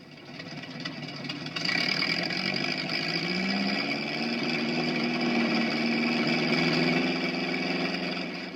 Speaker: this one might land you in trouble with the law it's an exhaust leak at the manifold